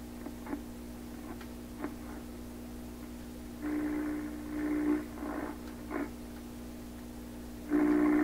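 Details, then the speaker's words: 1928 RCA Victor Model 28V during cartridge resistor replacement testing: steady low whistle under hiss with crackling bursts, oscillation at the top of the dial, no stations received, only noise. "Oscillation at the top. Well, it's definitely receiving something. I mean, this sound you hear now, that's a noise sound. All radios in here pick this up."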